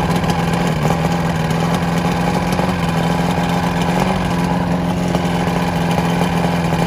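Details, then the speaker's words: Vintage Evinrude SPL 88 outboard, cold after winter storage (about 23 degrees overnight), water flowing: settles straight into a steady, even buzzing two-stroke idle with no misses or stumbles; normal idle. "um it was 23 degre I believe last night so this thing fired up no problem"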